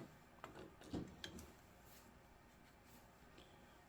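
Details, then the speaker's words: Honda CR-V sun visor removed and held in a vise, pivot forced by hand before lubrication: faint, irregular dry creaks and ticks; hinge is very stiff and binding with excessive friction. "Really stiff. You can even hear it creaking. Listen to that creaking. It's just super tight."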